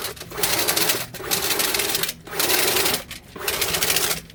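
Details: RIDGID K9-102 FlexShaft drain cleaner driven by an 18V cordless drill: even whirring in bursts of about a second with pauses, no rattle or knock; shaft spins smoothly and quietly with little vibration.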